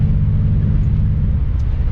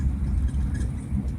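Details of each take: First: BMW E36, 216,000 on it, original coils, plugs previously looked good, driving: deep, lumpy rumble with uneven exhaust beat, shaking and no power; owner suspects injector or ignition, hopes coil. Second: BMW E36, driving after new ignition coils and NGK plugs replaced Bosch; belt tensioner still unfixed: deep, steady drone with smooth, even pull, no stumbles or knocks, running best it has been; normal running.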